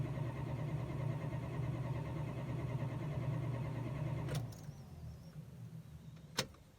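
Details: Chrysler: starter cranks evenly about three beats a second for four seconds and never catches, then goes quiet; crank no-start.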